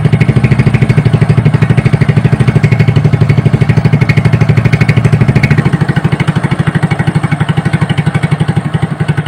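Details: Honda Supra motorcycle with mixed BMC/Honda engine halves, after teardown to cure a rough engine noise, valve-adjust cap left off to check oil reaching the head: even, steady single-cylinder idle pulses with no knock or roughness; running normally.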